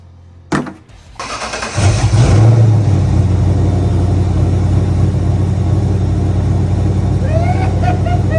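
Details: Ford Mustang SN95 competition drift build, very first start after wiring and pump swap; no coolant, so run only briefly. Starter whirs, engine catches and flares, then settles into steady, even deep idle without misses or knocks; healthy start.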